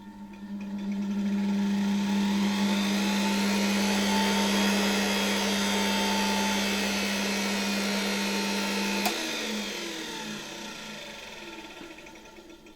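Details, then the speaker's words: Motor of a Czechoslovak Tiger 808 vacuum cleaner (type V 401, Elektro Praga Hlinsko/ETA, likely early 1960s) runs smoothly and quietly at a steady hum, then coasts down cleanly; no excessive brush sparking, bearings barely audible: normal motor run in good condition. "It works very nicely and quietly. Very nice running engine. Smoothly, quietly."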